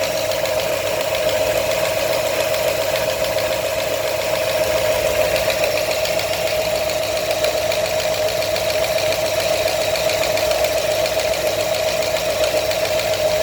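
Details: New 347 crate V8 idling with a light, uneven knock over a steady high hum; knock source not yet pinned down.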